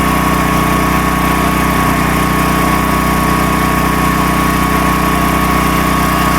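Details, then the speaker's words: Predator 13,000 W tri-fuel portable generator running just outside an uninsulated shop door; loud, constant drone at a fixed speed with a steady hum and no hunting or surging, running smoothly. "All right, so it's just outside this uninsulated shop door. And, I mean, it's loud, but it's not terrible."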